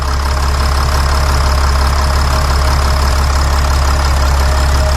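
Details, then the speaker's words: Mercedes Sprinter van with 3.0L diesel after engine oil cooler replacement, heard under the hood: an even, steady idle clatter with no extra knocks or whine. No leaks and no dash lights after the repair; the engine idles healthy. "so the engine is running the engine sounds good good job guys we did great work this is fixed I like how the engine sounds"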